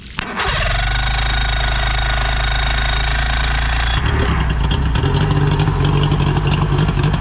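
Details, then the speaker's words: 2000-model three-cylinder outboard, a dealer trade-in with 130 psi compression on all cylinders and good spark. It catches quickly after a brief crank and settles into a smooth, even idle with no knocks or misses, pumping good water. "sounds really good oh yeah nothing wrong with it puffing good water too"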